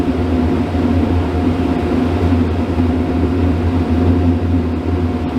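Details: RV camper furnace that lit and went out repeatedly, removed and cleaned with compressed air, bench-tested with shop equipment in background: steady blower hum, soft even burner roar, no rattles or surging; running normally while warming.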